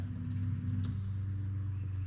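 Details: 1961 VW Beetle (65 pan), engine off, key on: steady low hum with no pulsing or rattle as the electric fuel pump runs normally; owner notes gas smell when hot and is adding a manual pump switch below the dash.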